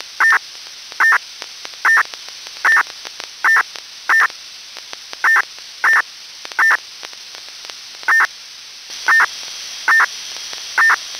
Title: Strange noise on PMR446 (Motorola MDLC protocol used by SCADA telemetry/remote control system)